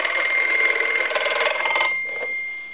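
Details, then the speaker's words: German Post Office telephone after its touch-tone conversion and repair: a fast, bright metallic bell trill drops sharply in loudness as the ring volume is rolled down to low, yet stays audible; the bell works properly. "and that's that's on low but you can still hear it somewhat"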